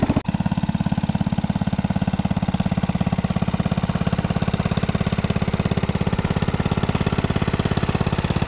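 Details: 1961 International Cub Cadet Original tractor, 7 hp Kohler single-cylinder, being driven after new tubes fitted: steady, even thump running smoothly under way, no misses or knocks; engine sounds healthy.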